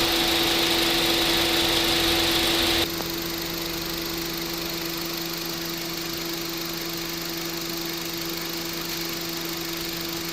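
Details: Honda City at idle after AC repair (clutch hub replaced, compressor oil changed, drier and belt replaced, both fans normal, vent 7.6°C): an even, steady hum with one part dropping out near three seconds, the compressor cycling on and off normally.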